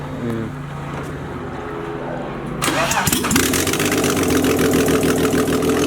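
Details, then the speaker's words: BMW E46 first startup after rebuild, with an E90 six-speed gearbox fitted: short crank, quick catch, then smooth even idle with no knocks or misses; a clean, healthy start. "Yo, it sounds nice. Shut! She's awake. She's awake, I'm sure."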